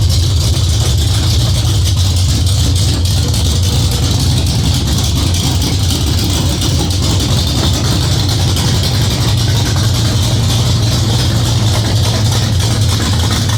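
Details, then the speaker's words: Freshly built cammed Ford 351W V8 first start, after ~10-minute cam break-in and distributor/timing retimed: deep lumpy loping idle, steady low throb, no knocks or ticks; healthy cammed idle. "Well, she sounds good. I like the way she sounds. Great throttle response."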